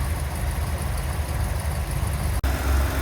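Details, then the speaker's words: Ford Econoline E350 RV motorhome, 5.7 L V8, warming up at idle before an oil and filter change (old filter heavily corroded): deep, even burble, "not a tick, not a rattle, nothing"; sounds healthy. "probably can't appreciate it from the video but this sounds absolutely beautiful there's not a tick not a rattle nothing"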